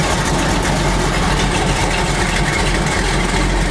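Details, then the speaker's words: Chevy truck V8 with Edelbrock AVS2 carburettor after swapping to 6842 metering rods, cheap $25 mufflers: loud, even idle burble with no stumble or miss. "with garbage mufflers that literally cost it only what $25 apiece that sounds good like this"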